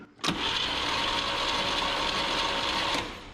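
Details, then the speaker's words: 1959 Chevrolet Biscayne not run in about 40 years: about three seconds of starter cranking with no firing and no catch; no spark found, traced to badly corroded distributor points. "Oh, weird. No spark."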